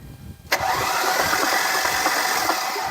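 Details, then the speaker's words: 2004 Mercedes-Benz C320 Sport Coupe cranked with ignition coils removed so it cannot start; after a click the starter turns the engine slowly and laboriously, sounding weak, suspected weak battery: slow cranking. "All right, that's freaking good. It sounds a little weak, but that's probably just my battery."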